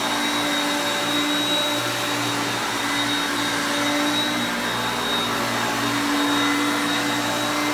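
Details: Hoover Concepts self-propelled upright vacuum on luxury carpet with the drive engaged, moved back and forth; motor pitch changes with the gears. Steady, even motor hum with a constant high whine, no rattles or surging; picking up well, normal running.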